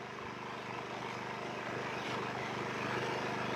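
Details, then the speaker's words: WEN56235i 2350W inverter generator on its first startup and burn-in, idling in eco mode: a steady, even low hum with a soft purr and no surging, quiet enough to talk over, with occasional small bumps; normal idle. "Now this is quiet enough where I can just speak my normal talking voice and feel like I'm probably still being heard by you."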